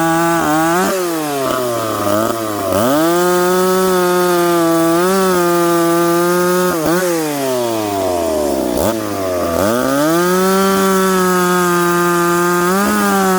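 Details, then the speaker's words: McCulloch Pro Mac 850 chainsaw cutting oak after chain sharpened and rakers set, on a well-worn bar: loud steady two-stroke scream sags as the chain bites, then climbs back; chain cuts better, saw pulls strong, normal. "again we can't let this all get too hot this is interesting stuff isn't it guys chain definitely cuts better now"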